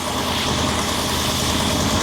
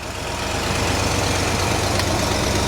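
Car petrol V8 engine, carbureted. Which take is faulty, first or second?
second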